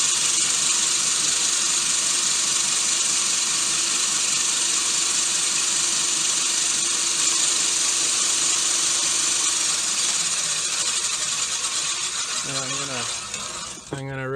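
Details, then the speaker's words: Gardena 380 C push reel mower spun backwards by a drill during backlapping with 120-grit compound: even, steady high whir with no knock or catch from any blade; reel turns smoothly. "so as it turns you can hear it's pretty pretty smooth even turn you don't hear one of the blades knocking and the rest being smooth it sounds good"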